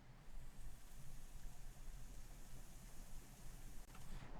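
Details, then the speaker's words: M-Audio BX8 monitor with control turned to 0: faint steady low hum under quiet hiss, unchanged across clip; slight tweeter buzz persists at any level, louder at maximum, unaffected by turning the toroid; electrical cause suspected, not confirmed. "it's about the same, but there is still a slight buzz. Now if I move this all the way to where it's supposed to be at 0, you'll start to hear that buzz."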